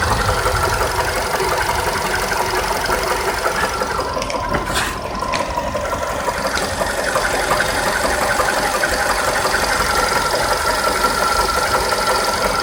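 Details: 2012 VW Polo Sedan, 43,000 km, after an 80 km highway drive: sharp, fairly regular tapping near three per second over a busy idle; engine knock is present, cause still undetermined.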